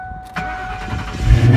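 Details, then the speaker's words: Ford Mustang GT V8 started after a tune-up with new spark plugs; it catches quickly and settles into a deep, even rumble with no misfire or stumble, sounding way better. Normal engine start. "right up she sounds way better boys"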